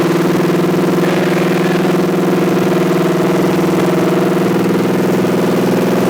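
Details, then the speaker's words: 1986 Chevy C10 junkyard truck with a replacement small-block 350, first start in decades: steady, even idle at a noticeably raised speed with a fast regular pulse; idle too high, vacuum leaks suspected after some were tightened. "again throttle a little high but I think she's going to be all right I tightened down a couple possible vacuum leaks"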